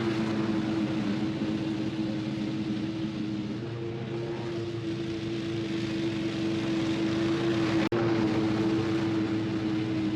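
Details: 26 HP Kohler V-twin lawn tractor mowing tall grass at full throttle after new ignition coils fixed a long intermittent one-cylinder misfire; steady hum at constant pitch with no stutter or dropped beats; didn't miss a beat, idle as smooth as ever.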